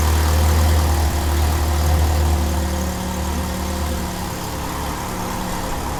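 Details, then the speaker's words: 1993 Jeep Wrangler YJ 2.5L that sat over a year, deep thrumming idle that sags low and shaky; timing had been about 15 degrees off and is being set with the distributor, reading 8 degrees, with a vacuum or exhaust leak suspected. "It's been sitting for over a year, and it's having a low idle issue, and it's not running that great whenever it's idling."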